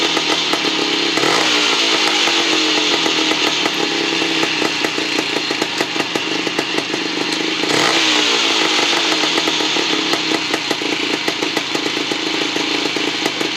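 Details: 1975 Bultaco Sherpa T 350 type 159 trials bike, two-stroke single after rebuild: crisp, even crackle holding steady with no knocking or rattles, healthy.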